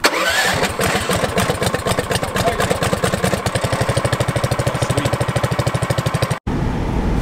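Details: 420cc lifted off-road go kart after its seized starter was treated with rust remover: even cranking about three strokes a second, then it catches and runs; starter turns freely and engine starts cleanly.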